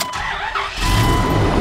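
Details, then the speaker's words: Dodge Ram 2500 V10 after sensor replacement: short crank, catches quickly and settles into a steady, even idle with no misses, knocks or leaks. "mean she sounds good no leaks i've checked everything outside underneath check that camshaft it's great and she idles just like it should"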